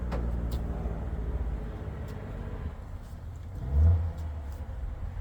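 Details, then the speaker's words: VW Beetle rat rod, first start after a long build: low churning starter rumble with no catch. It cranks but won't start, apparently from no fuel delivery; owner wonders about the gas filter sitting on its side, cause unconfirmed. "For some reason we're not getting gas."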